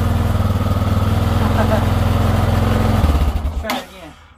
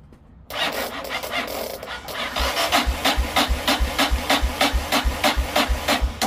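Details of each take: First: 1990 Yamaha XT600 single started on a 20 V DeWalt tool battery wired in place of the motorcycle battery: steady even single-cylinder idle thump, then winds down when switched off; starts and runs fine. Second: Yamaha XT 600 motorcycle wired to a 20 V DeWalt power-tool battery: starter turns the single over in steady rasping strokes, about three a second, but it never catches; battery may be too low and a wire was smoking hot.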